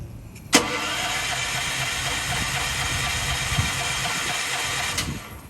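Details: Propane-fueled generator, fuel tank just refilled, starter cranks evenly about four and a half seconds and never catches; regulator pressure set far too high was shutting off the valve, causing the no-start.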